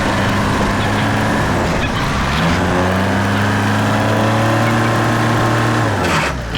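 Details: Case 188D diesel backhoe tractor after a year-long rebuild, first drive on a four-mile road trip, good oil pressure and water temperature: strong, steady drone that rises and settles smoothly with speed, no knocks or rattles; normal running.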